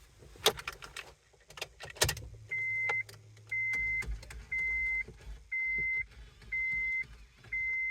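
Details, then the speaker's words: 2002 Honda CR-V with a jammed CD changer: a sharp electronic chirp repeats about once a second from the dash as the mechanism cycles. "Okay. That sound is just too annoying to me."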